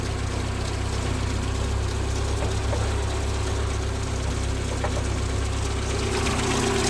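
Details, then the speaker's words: 1990 VW Golf Mk2 petrol engine: a rough, pulsating idle, a low throb swelling and fading a few times a second with heavy vibration. The owner suspects a failing temperature sensor; unplugging a switch helped briefly. "all right so i'm pretty sure this rough idol is i think it sounds like a trash can it's so"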